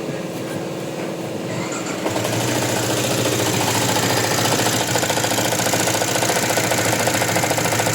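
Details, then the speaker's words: Yamaha Jupiter MX 150 at idle after starter: harsh, busy clatter with fast knock from both cylinder head and bottom end; failed water pump seal let coolant mix with oil for a long time, likely wearing con rod and top end. "Nah seperti itu ya, jadi suaranya itu ramai banget. Di bagian blockhead juga ada suara, di bagian bawah juga ada ya."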